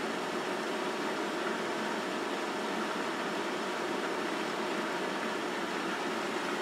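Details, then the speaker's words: Sta-Rite Max-E-Therm pool heater on first fire-up after manifold replacement, during its startup self-diagnostic: even, airy blower whoosh with no rattle, squeal or wobble. Blower operating normally. "you can hear the the blower is actually turning"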